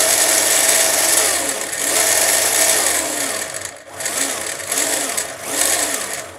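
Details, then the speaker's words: Iron Man exosuit 3D-printed gearbox with a newly installed gear now spinning less off centre, two gears removed: loud rough motor whir with gritty gear rasp swelling and fading with speed; still some noise, no longer shattering. "There's still a bit of noise. It may just be unavoidable, I'm not sure really."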